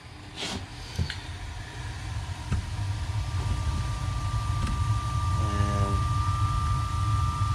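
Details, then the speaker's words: Hot-water gas boiler on autumn pre-season check, thermostat calling, pumps running, damper opened, pilot lighting: a few igniter clicks, then a low roar building smoothly and holding steady, no bangs or puffing; normal smooth burner ignition. "so our pilot is trying to light yeah she goes so weird he was a nice smooth ignition"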